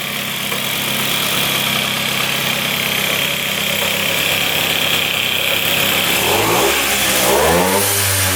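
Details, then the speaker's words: 1978 Austrian Puch two-stroke moped, first start in 37 years after a spray of gas: buzzes steadily at a fast idle, then revs up and down cleanly and quickly after clearing out, sounding healthy. "I cannot believe she fired up. First time in 37 years. Sounds pretty good. Just had it clear out."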